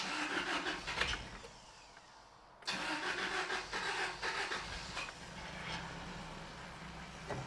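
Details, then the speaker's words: 1993 Toyota pickup 22RE after moving the distributor one more tooth: cranks, catches and settles into steady even idle with no backfire or stumble; timing now right, normal start. "Oh, so much better. Awesome, it started up."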